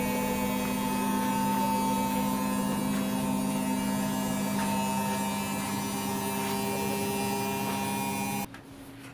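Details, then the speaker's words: Beko/Condor EV7103 front-loader after its door-closing fault was repaired, running a wash: a steady low motor drone with light regular ticking and no knocks or grinding, so the washer is running normally. "হ্যাঁ, আমরা এখন push করলাম, আমরা wash করে দেখাচ্ছি আপনাদেরকে।"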